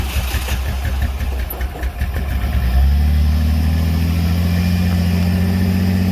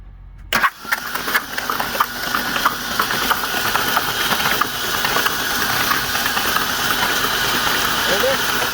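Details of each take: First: Ford Ranger engine after hydrolock, plugs pulled and liquid cleared from cylinders, plugs, coil and fuel pump relay refitted: uneven cranking under three seconds, then catches and idles steadily with no knocks; sounds unhurt. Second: Ford Ranger engine hydrolocked after the truck ended up on its side in a ditch: spark plugs out, ignition and fuel pump relay disabled, starter cranks about three or four beats a second for eight seconds without firing, clearing oil; driver's side cylinders held much more oil.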